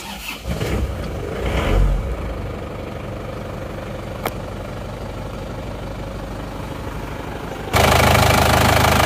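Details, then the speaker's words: Isuzu Panther diesel (Euro 2, Jogja plate AB), cold after engine overhaul, not yet tuned, catches on first crank and settles to an even, smooth clatter with no knocks or misses; back to normal. "Alhamdulillah suaranya bisa kembali normal ya halus dan rata"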